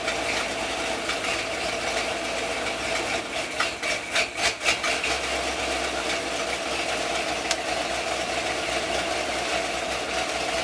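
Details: Stock 1992 Ford EFI 460 big block, A9P mass air 5.0 EEC computer with 80mm MAF, cold start at about 102°F outside air, idling in neutral: idle swells and sags every second or so, hunting; cause not yet pinned down.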